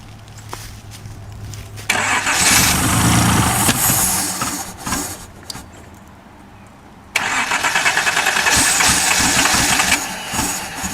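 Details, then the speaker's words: 1977/78 Datsun 280Z donor car, sat outside and slightly seized, oil in cylinders, fuel hand-fed through a held gas line: catches, runs ragged, drops away, picks up but never revs beyond low uneven speed; fuel-starved, smoking from oil. "anyways as you can hear it's a runner that's about as FL it's going to get the way I'm having to supply fuel for it"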